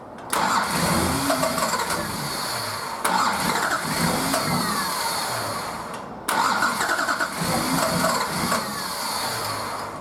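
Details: Nissan Patrol RD28 diesel, first start after injector and pump install, idle over six months: repeated cranking bursts chugging unevenly before catching, as air is bled from cracked-loose injector lines until it fires.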